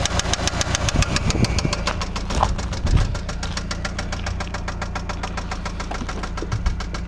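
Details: Eagle Talon ESi petrol engine idling with a steady, rapid metallic rod knock through the low rumble, before an engine rebuild.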